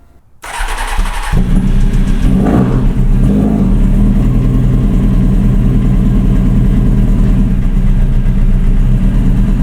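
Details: Hornet motorcycle in a beginner project build, started in neutral: catches after a short crank and settles into an uneven, stumbling idle with irregular beats; misfiring and idling rough, owner suspects idle adjustment needed.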